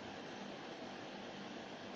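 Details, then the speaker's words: Kogan 14,000 BTU portable reverse-cycle air conditioner cooling, room 27°C with 36°C outside, fan on high: steady even airy rush, no rattles, squeals or cycling; quiet enough to talk on the phone, normal. "it's not overly loud like I could be comfortably sitting on the phone still with this in the background"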